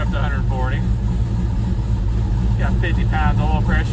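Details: 1968 Chevrolet Chevelle twin-turbo V8 project at idle: lumpy, uneven idle that needs throttle blips from the foot to keep running; rough-running engine that needs a tune.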